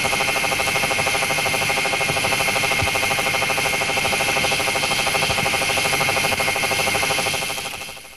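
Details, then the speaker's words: Deep groove ball bearing 60309 at 2,000 rpm under 20,000 N load, via electronic stethoscope: hissy rumble, more uneven and lower frequency than ring damage; damaged ball. "the noise made by a damaged ball is more uneven and of lower frequency"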